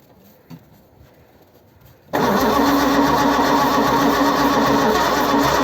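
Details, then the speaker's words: 1955 Ford Zephyr, 46 years off the road: near silence, then the engine catches and runs with an even, busy beat after tapping stuck valves free; long crank then start. "tapping the valves worked that works just completely just out of the blue that came yeah that worked really well"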